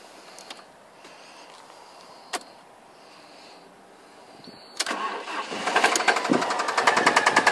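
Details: Alfa Romeo 147 2.0 TS that made a funny noise and cut out: engine catches and a sharp, fairly regular rapping about three per second rides over it; owner suspects big end bearings or a pulley, unconfirmed.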